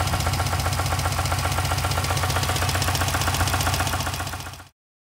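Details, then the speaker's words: Subaru WRX STI flat-four, the day after it began knocking while being revved to about 3,000 rpm to bleed coolant, runs rough with a steady heavy knock about four a second; confirmed rod knock, metallic flakes in the oil, not the pulley. "first I'm gonna show you the confirmed rod knock there's metallic flakes in the oil there's no way that this is the pulley"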